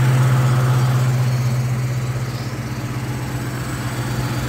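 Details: Car warm-idling just after an oil change (Maxx full synthetic) and intake manifold gaskets: steady about four pulses a second, low and even, no ticking or valve chatter; oil pressure good.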